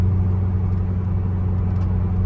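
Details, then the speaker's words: C5 Corvette test drive after a wheel bearing replacement: a steady, low road rumble at cruise with no growl or hum rising with speed. The previously obvious noise is gone and the bearings are quiet. "It's quiet. It's way, way, way quieter here. Now, that's crazy. That is so crazy. It's The noise would have been like blaringly obvious in here. It's silent."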